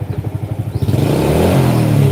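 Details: Motorcycle with battery disconnected, running only on a full-wave rectifier conversion: pulses evenly then revs smoothly and holds a steady roar without stumbling or cutting out; correct full-wave wiring, runs healthy.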